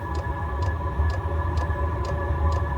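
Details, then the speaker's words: Chinese diesel heater, first fired in a couple of years, while still warming up: crisp, even ticks about twice a second over a low steady fan hum. Normal fuel pump ticking. "I'm not worried about that tiny little tinkling but I'm not gonna say it's getting warm yet and so there's your pump"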